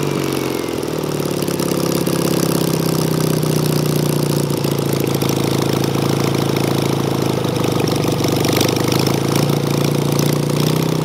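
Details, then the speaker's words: Engine with Solex 30 PICT carburettor after stuck pump ball valve and flooding needle valve were fixed, just started on full choke; steady idle with an uneven, stumbling beat and occasional skipped firing, fuel leak noted, still needs tweaking: misfire. "that sounds freaking like a vw beetle engine doesn't it you just need a little bit of tweaking"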